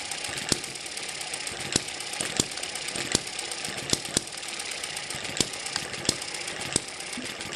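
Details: Eachine ET7 (same as M94) model hit-and-miss engine after its governor springs were replaced and further stretched, slowed to about 900-1000 rpm: sharp single pops about a second apart with quiet coasting between, a proper hit-and-miss cycle.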